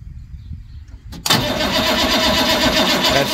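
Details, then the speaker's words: International crew cab 7.3 IDI diesel in cold weather, losing fuel prime, with the glow plug controller bypassed; starter drags sluggishly at about four compression pulses a second with no firing, batteries too weak, and it needed starting fluid. "slow them batteries are not strong enough for this that could be part of his issue too with the batteries"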